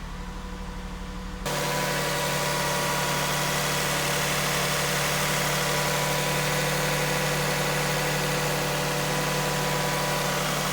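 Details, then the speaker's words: 2001 Lexus RX 300 with 240,745 miles, just started: steady, even idle with a smooth low hum and no knocks, ticks or misses; engine sounds pretty good, idling healthy. "sounds pretty good"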